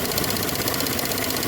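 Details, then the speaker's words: 2021 Chevrolet Spin (GM, same issue seen on Onix, Prisma): fast, even ticking over a steady idle that sounds like a lifter or piston, but it comes from the canister purge valve clicking. "Sabe o que que é esse barulho? Válvula do canister aqui, ó. Essa válvula aqui, ó."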